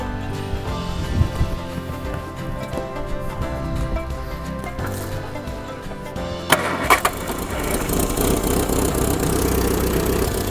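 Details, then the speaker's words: Classic Mini that sat 10 years in a garden, started after setting timing (firing order 1-3-4-2) and putting fuel through the carburettor: catches after a few seconds of cranking and settles into steady petrol idle; normal running. "sounds like a running mini to me 10 years sitting in the garden no distributor path rotten and there it is it started up nothing more than a little bit of timing some fuel through the carburetor and off it goes"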